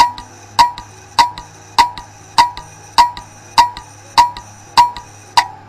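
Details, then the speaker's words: Failed hard drive with head damage: sharp, loud clicks repeat evenly about every 0.6 seconds, a very loud noise typical of damaged heads inside the drive. "si el cabezal se daña dentro del disco duro se producirá un ruido muy fuerte en el disco duro que puede sonar algo como esto"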